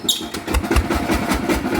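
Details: Bluebird small engine, before repair: lumpy, uneven running with irregular heavy thumps about every fifth of a second, shuddering as if a bearing is broken; likely a worn bearing.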